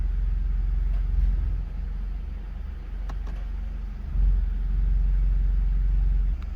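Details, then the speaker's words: Mercedes C300, 168,000 miles, likely original engine mounts, idling warm after a test drive, recorded in the cabin: rough heavy low rumble with uneven shaking pulses and rattle, headrest jiggling; worn mounts pass vibration, and it rattled more when colder. "You can see this headrest jiggling. It was rattling pretty good a while ago, but I guess it's warmed up a little bit."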